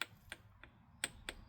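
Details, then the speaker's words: BMW N57 diesel being rebuilt after spun rod bearings, piston and rod out of the engine: sharp, uneven metallic clicks as the piston rocks on its dry pin. The owner spent months researching whether this rocking was acceptable. "they could rock like that. That's not that's sliding side to side that you can hear that."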